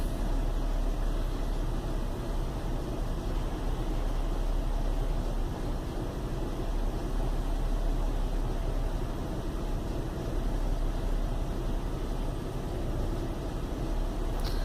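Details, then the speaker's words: Chevy Venture warmed up about four to five minutes on a cool day, no check-engine light: steady low idle with an uneven, shaky pulse, not running smooth; rough idle caused by a failed hydraulic motor mount, with no thunk when shifted into gear. "you can probably hear it's got a kind of a rumble to it it's definitely not running too smooth"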